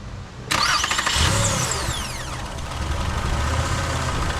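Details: 2006 Toyota Sienna after valve cover gaskets, all 6 ignition coils, spark plugs and upper intake gasket replaced: brief cranking, then it catches at once and settles into a smooth even idle with no misses or ticking, normal start.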